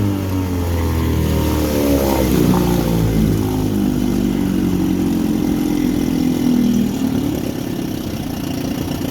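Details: 1959 Elgin 7.5hp two-stroke outboard on 24:1 full-synthetic mix, on the pond after crankshaft repair and restoring spark: steady buzz, pitch rising and settling as the throttle opens, with no misfire or knock; healthy, just about planes off.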